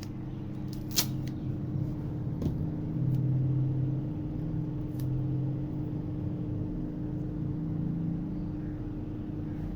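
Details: DC "missile" water pump's car self-starter-type brushed motor, after sanding carbon buildup off the commutator, powered from a computer power supply for a test: smooth, even constant-pitch hum with a few light clicks; motor runs steadily and healthy.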